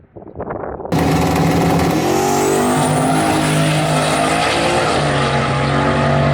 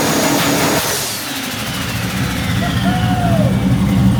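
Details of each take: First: 1974 turbo Camaro at the drag strip, engine screaming at full throttle with rising whistle, turning rough and breaking up badly under boost partway through the pull; owner suspects a blown header gasket. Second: A 1974 turbo Camaro, fixed after valve-train clunking and a failure to idle (a broken rocker was suspected), revs crisply with the exhaust open and reaches about 13 lb boost, no misses or knocks: healthy revving.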